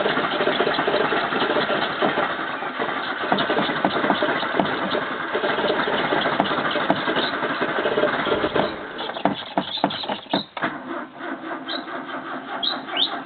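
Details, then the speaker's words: 1985 Toyota Corolla with carburettor problems, choke possibly not on: long uneven cranking with ragged firing bursts toward the end before it catches and runs; hard starting. "Hello viewers, I'm trying to get this started. I had some carby problems, so let's see if it will go now."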